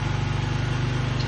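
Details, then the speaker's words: 2005 Honda Lead SCV100 scooter, carburettor idle speed set too high: a steady, buzzy, fast even idle that sounds like a lawn mower, well above a normal tickover, heard before adjusting the idle screw; idle should be set fully warmed up. "And as you can see, as you can hear, the uh bike sounds like a lawn mower. Uh, that uh that uh sends me on to the next job. So, you can get the idle speed down."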